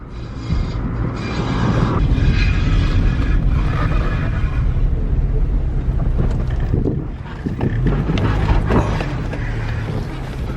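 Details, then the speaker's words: Sedan lowered on new K Sport coilovers, while driving: a rough metallic rasp comes and goes over road and engine rumble with bumps; a bent dust/heat shield dragging, fixed by bending it back. "oh my god that's that freakin dust shield ragging again I can't do it dude I gotta go home and fix it just drive me freaking nuts so [ __ ] loud"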